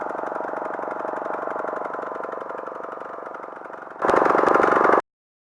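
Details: Craftsman lawn tractor, Briggs & Stratton single-cylinder with Nikki carburetor, after a no-start fixed by carb cleaning and a new float bowl gasket: even chug at about four beats a second, louder near the end, steady; runs clean.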